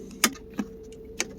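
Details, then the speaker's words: 2006 Buick Lucerne CXL, 3800 Series III V6, engine running, brake pressed: irregular clicks over a low hum as the shift interlock solenoid cuts in and out while the red power wire is wiggled; suspected bad solder joint or contact, shifter intermittently stuck in park. "And I assume what it is is you have a uh contact here, you know, a solder joint that's gone bad and it's preventing power from getting to the shift lock solenoid."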